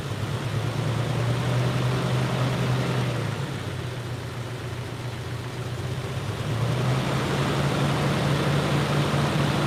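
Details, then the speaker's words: Jeep, not driven in a while, idling right after new spark plugs: low idle drone with a faint uneven pulse, still running a bit rough, maybe slightly better; wires, distributor cap and rotor next. "whoo well stinky this hasn't been driven in a while but still runs a bit rough it might be a little bit better"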